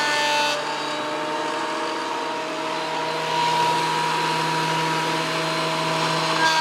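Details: WEN PL1326 15-amp 13-inch spiral benchtop thickness planer, after repair of misuse damage (replacement knives and bevel gear set used), planing a bigger board over several passes: steady even hum with a smooth cutting hiss, no knocking or chatter; cutting cleanly, within 0.002 in thickness.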